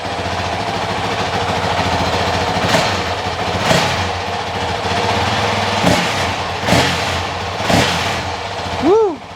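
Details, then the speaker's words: Honda CRF450X 2023 with only a thermostat delete kit, running after fitting a Vortex ECU on the stock-exhaust map (map 5): steady, even single-cylinder idle with quick clean throttle blips rising and falling smoothly; normal idle and revving. "Well, she's running. She's alive again."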